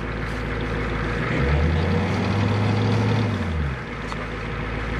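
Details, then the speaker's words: 1990 Ford E-350 Goshen bus, 7.3L diesel, just cold-started with battery chargers: even low rumble at about four beats per second, no knocks or misses; healthy settled idle. "Well, good to hear she's running. Back, you almost can't hear it back here."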